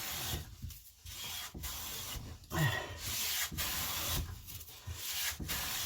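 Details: Clifton 5½ hand plane, with wax applied to the sole, planing walnut: regular, even papery swishing strokes with no chatter or skipping, taking clean, consistent shavings.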